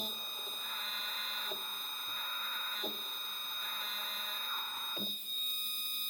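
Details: Single stepper motor (one of two same-spec motors unused for a year, formerly 3D printer X/Y axes) tested alone above 1000 feed: steady high whine of fixed tones, few soft clicks; running smoothly, normally.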